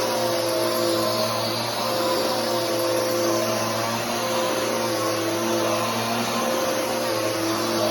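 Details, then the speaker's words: Bissell Powerforce Helix 3313 upright vacuum on a test run; steady motor whine with a faint slapping flutter as the brush turns, which the owner attributes to the belt. Vacuum belt noise. "and that noise is the belt uh but anyways that's the 33113"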